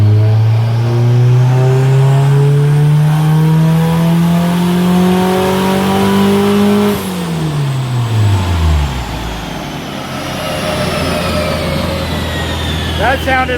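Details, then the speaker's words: 1992 Honda Civic Si hatch, turbo B18C1 with Precision ball-bearing turbo, 700cc injectors, on dyno at about 70% throttle: tone climbs smoothly under load without stumble, no boost cut now after earlier 19 psi cut; clean healthy pull. "that was like 70 something percent throttle now so yeah doing a lot doing a lot better"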